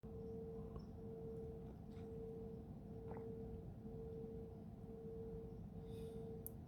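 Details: Kirribilli, Sydney, 3am on 10 Feb 2022, recorded from Careening Cove toward Garden Island Naval Base: steady mid-pitched hum swelling and dipping about once a second; source unknown, heard since early 2021, stopped 15 March 2022.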